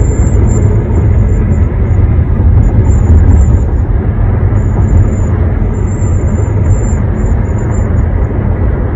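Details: One-month-old 2021 Honda HR-V: thin, high piercing whistle comes and goes over steady road and engine rumble around 60–65 mph, windows closed, tested with moonroof tilted and opening; dealer calls it normal, source not pinned down.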